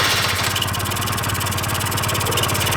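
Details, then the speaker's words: 1996 Honda Elite 50cc two-stroke scooter, long-sitting, first start, airbox off: crackles and stumbles unevenly at fast idle, never settling; rough running from clogged, filthy carburetor, to be removed and cleaned. "carb is definitely clogged up you could tell it's just putting but the airbox does help a lot with these so you need a little bit more restrictive air but it fired up"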